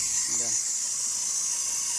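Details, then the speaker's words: 2012 Kia Rio engine running with a constant, steady high shrill squeal from the worn, slipping serpentine belt. Spraying the belt silences it until it dries. The owner had suspected the tensioner bearings or the A/C compressor clutch. The belt needs replacing. "Меняем ремень, значит. Можно заказывать. А я все грешил на подшипники в натяжных, либо в муфте компрессора."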